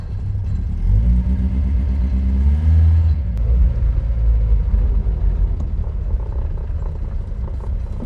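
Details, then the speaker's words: Reliant Fox project car, cold with the thermostat still closed, now drawing from its own fuel tank after the petrol pipework was finished and the oil topped up: settles into an even, steady idle with no knocks or misses. Sounds happy. "There we go then, she's drawing from her own fuel tank. She sounds happy."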